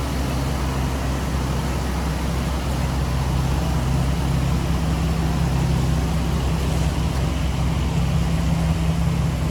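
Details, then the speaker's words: 2010 Chevrolet Silverado 1500 5.3L V8 after AFM lifter failure repair with AFM/DOD delete kit, under-hood as idle comes down while warming; smooth even idle, no knocking, misfire, vacuum leak or ticking; normal idle. "this thing is running and it's actually running really really smooth listen to the engine as the idle starts to come down i don't hear any knocking i don't hear any misfiring i don't hear any vacuum leaks there's no ticking noises nothing like that"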